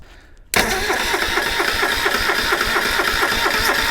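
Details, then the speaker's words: Subaru Sambar kei van engine, sitting in a field 25+ years; starter cranks at an even brisk pace, never fires; no spark, traced to a spark plug wire broken at the plug. "Nope. No spark. Okay. I'll pull that distributor apart and see what's going on. All right. So, that took some time. After a lot of mucking around, finally figured out that the um wire was broken at the plug."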